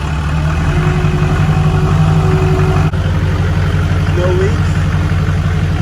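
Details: Duramax diesel in a shortened "shorty" truck build with a lift pump, first start after a complete frame-off restoration: steady, even diesel clatter at idle with a low constant rumble, no stumbles or knocks. Normal idle.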